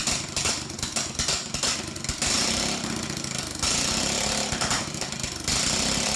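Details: Troy Bilt riding mower parked since 2014, five years on ethanol fuel, carburetor gummed, run on fuel with jump box: small engine keeps steady busy clatter, constant rhythm, no misses or knocks; normal running.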